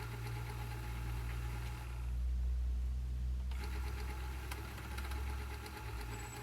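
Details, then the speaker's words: Commodore VIC-20 Datasette after new belts and a service, running the motor: a steady low drone with a faint rough rattle on rewind; noisier than it should be, source not yet found. "play left take up pass forward little noisy on the rewind who's making that"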